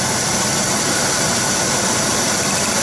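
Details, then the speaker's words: Buick 3800 DIS engine with intermittent misfire after cold soak near 20°F: steady, even idle under airy hiss after plug wires refitted; fault possibly in the ignition control module. "so we're back to normal so now you hear the engine runs just fine"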